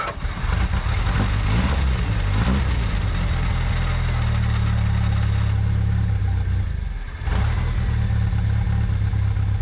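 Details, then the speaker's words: 1998 Jeep Wrangler, 2.5 engine, manual, sat for a very long time, started on a borrowed good battery: it catches but runs lumpy with wavering speed and nearly stalls, needing starter fluid. Owner guesses the fuel pump, unconfirmed; added gas didn't help. "It's not staying running. It's running pretty rough, but a little bit of starter fluid and it will stay running for a little bit."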